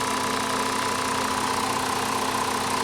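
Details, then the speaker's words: Jetta with the 2.5 five-cylinder, possibly missing an air box and with a structurally poor body; new battery; steady, even idle with a faint constant tone and no knocks or misses; seems to run okay. "even though it's got Chuck in July that seems to be running okay it's got a new battery"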